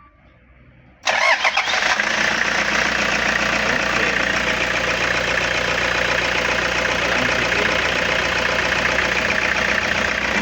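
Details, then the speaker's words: Hiace that wouldn't crank, battery 13.55 V, fuses and starter relay fine: after bypassing the starter wire from the 30A starter relay, engine catches at once and settles to steady even idle. "Andar na okay na good ayos na ito lang linya lang binago ko."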